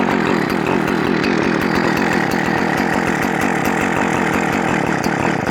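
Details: Poulan Farmhand 2500/2900 two-stroke chainsaw, fitted with .325 chain and started on choke before a test cut: a steady, even high-revving buzz without stumbles or surging. It runs cleanly and strongly.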